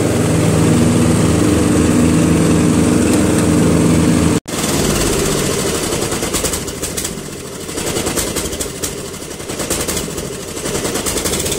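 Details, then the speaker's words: Murray Select 12.5 hp 40-inch lawn tractor running out of gas: the even single-cylinder drone cuts out abruptly, then returns ragged, dipping and catching from fuel starvation. "When it runs out of gas, this is what it sounds like."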